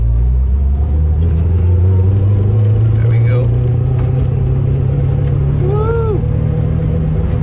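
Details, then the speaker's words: Honda Civic EK hatch with B18C1 engine, misfiring with a very choppy, stumbling rough idle for a week while still reaching VTEC; no apparent loss of power or compression, owner suspects the distributor and replaces it with a donor part. "and that is not me not being able to hold the camera camera steady that is how the car runs very choppy it's been like this for a week"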